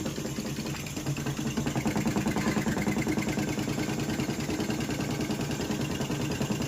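Steady rapid knocking, about three per second, over a continuous motor hum throughout the run; something in the washer drive is abnormal.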